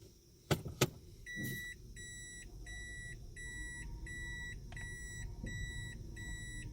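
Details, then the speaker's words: Toyota Aqua hybrid driving on the electric motor in Drive; steady repeating electronic hum about three pulses a second from the under-bonnet pedestrian warning sound device; working normally. "ये साउंड जो आ रही है ये इस डिवाइस से आ रही है। ये इसको एक कार को, इलेक्ट्रिक इंजन को एक साउंड दे रही है।"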